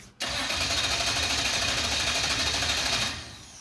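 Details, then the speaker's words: Engine swapped into a Mazda truck, first start attempt: starter spins evenly about three turns a second but it never fires; ECU shows no fuel pressure because the fuel pump was not grounded. "It's telling me we don't have fuel pressure. Well, yeah, the pump's not running. Oh, wait. It helps when you ground it."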